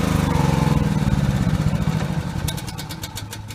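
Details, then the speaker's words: Cummins Onan 2800 W petrol generator in a Travato 59G, run after an oil change: small single engine chugs at a steady beat with no misfires or rattles. Normal running. "Alright, I'm going to start it up and let it run for a minute."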